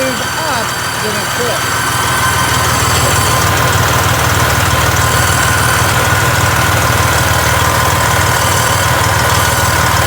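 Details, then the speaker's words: 2007 Freightliner Columbia with 14-liter Detroit Series 60 diesel: sharp, rapid, regular puffing tick over engine noise, very loud whenever the turbo engages while driving; exhaust leak at a blown turbo manifold gasket. "yes I'm pressing down on the tube and it's making that horrible sound but when I'm driving it down the road every time the turbo engages you hear that very very loud"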